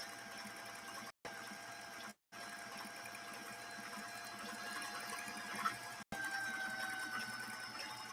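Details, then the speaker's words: 1960s Singer 503A sewing machine run on its foot controller while sewing a decorative pattern stitch: quiet, even whirring hum like an airplane revving up, light rapid stitching clicks, a few short pauses; runs smoothly and freely. "and again listen to this machine run it really does run it sounds almost like a an airplane kind of revving up as it starts"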